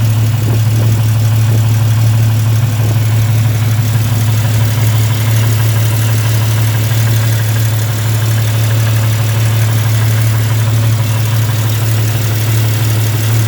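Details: Jeep idling with a steady, sharp tick of roughly three per second over the low drone: exhaust leak from a cracked exhaust manifold, later welded up and fixed.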